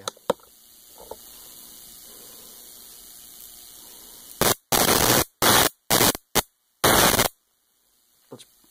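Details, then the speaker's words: Homemade Leyden-jar capacitor fed AC (60 cycles per second) sparking across a jumper cable: five harsh, snappy buzzing crackles under a second each with silence between, snappy because it charges in spikes rather than a sine wave; AC capacitor spark discharge. "but the reason it's so snappy is because it is charging in spikes rather than in a sine wave which is how normal electricity flows"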